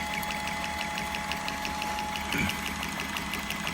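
Sharp metallic ticks about six per second over a steady running hum; liquid slugging has wrecked the piston and discharge valve.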